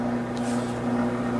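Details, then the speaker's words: Samsung dishwasher showing an LC leak code: steady low hum with no cycling or water sounds, the noise made while it is stuck in the leak code. "llc called lc call this code that means your dishwasher your dishwasher is leaking and that's why it is making that noise"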